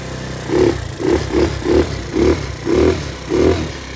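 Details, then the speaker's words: Honda Aero scooter with GY6 4-stroke swap after rebuild (missing gaskets fixed): seven clean throttle blips over steady idle with no knocks or misses, running strong. "so uh we'll give her the good juice she's running real good right now thing's pretty powerful"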